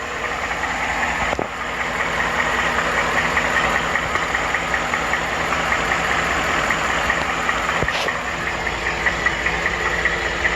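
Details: 2014 Ford F150 5.0 Coyote V8 at 80k miles: light rapid typewriter tick at idle, two or three per second, seemingly from the bottom of the engine; started around 40k miles, cause unknown.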